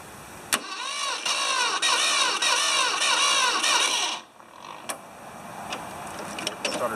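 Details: 1980 or 1981 Ford 2600 three-cylinder gasoline tractor with rebuilt carburetor, temporary tank, cleaned points, weak-sounding battery, choked: strong even cranking, compression beats about four a second for four seconds, then stops; starter engaging cleanly.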